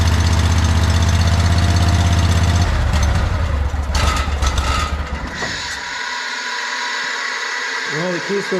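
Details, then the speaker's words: John Deere 317 lawn tractor with Kohler Command 18 hp engine, after fitting a new fuel pump; steady even low thrum, no misses, then key shuts it off cleanly; no leaking, runs pretty decent. "other than that there's not too much else I don't think to do it seems like it runs pretty decent"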